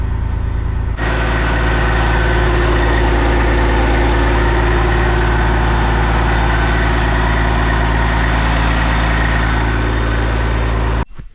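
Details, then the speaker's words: Kenworth cabover diesel under restoration. Deep, even rumble holds steady for ten seconds with no knocking, then cuts off cleanly; normal idle. "God, that sounds good, though. So happy. like so happy right now."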